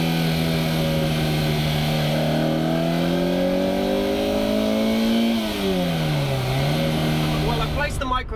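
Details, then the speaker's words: Warmed-up Ferrari 308 driving with chassis microphones near the air box, carbs, driveshaft and exhaust. A thin whistle tracks revs over the engine note and seems to come from the exhaust itself, which is due for a rebuild. "in a few different places and it really seems like it's coming out of the exhaust itself"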